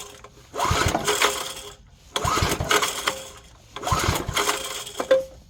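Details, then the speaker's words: 1970s Briggs & Stratton 4 hp engine on an air compressor, spark plug just reinstalled: three separate cranking bursts that die away with no catch; hard starting, owner suspects compression still too low to fire. "let me see if it'll if it'll try to even start joke right here I I think the compression is still too low to fire"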